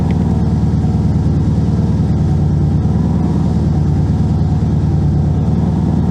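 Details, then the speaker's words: 2002 Subaru WRX, built 2.6L stroker (2.5L block, 2.0L heads), JDM 6-speed, started after sitting 4 years; steady low idle throb with no whine or groan from pump: quiet power steering at idle. "You know, the power steering is so quiet. Oh my god. This is This is awesome."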